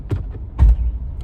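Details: Nissan Pathfinder, customer complaint of loud noise while driving, heard on test drive as soon as it's put in gear: low rumble with short creaking thumps as the driveshaft turns; jacked up, the shaft wobbles at a worn, broken U-joint, replaced.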